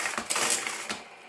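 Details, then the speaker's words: Stihl MS230 chainsaw with Ergostart recoil starter: quick dry rattling pulls that never wind up or kick the engine over, not catching at all; broken recoil starter spring. "Yeah, that's not catching at all, is it?"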